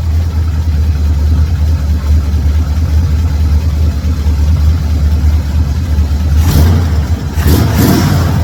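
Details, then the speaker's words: Daily-driven 1978 Chevrolet Camaro being readied for its first car show: deep, steady V8 idle, then two clean throttle blips rising and falling smoothly; no knocks, no mechanical problems found. "I think we're done with the engine because there's no mechanical problems that I can tell."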